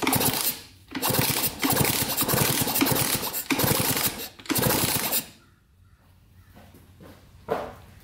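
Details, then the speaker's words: 1982 Kawasaki KX125 two-stroke, long-sitting, kicked over after penetrating oil down cylinder: even kick-over strokes, no crunch, smoother now; compression confirmed by thumb test, oil meant to save piston and cylinder. "a little bit more smooth in there now get a little oil down there try to save that piston cylinder"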